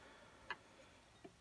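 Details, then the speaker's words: Irbis TTR250 with the 166MM engine, opened up to find an idle knock. With the engine stopped, rocking the crank by hand gives three sharp, light clicks, stronger in some positions than others, showing crankshaft play; the piston and cylinder are also worn. "вот этот звук то есть как он вал стучит не сильно конечно у него но некоторых положениях сильнее в некоторых нет"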